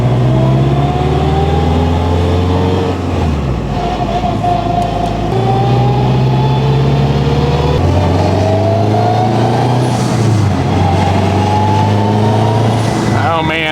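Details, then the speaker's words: 2021 Honda Civic Type R with straight-cut gears 1–4 and transfer gears (factory helical 5th), after engine rebuild: loud gear whine rising with road speed, dropping at each shift; normal straight-cut whine. "sound of the straight cuts oh yeah oh yeah yeah that's right the transfer gears are also straight cut which is amplifying the sound of the straight cut 1 through 4"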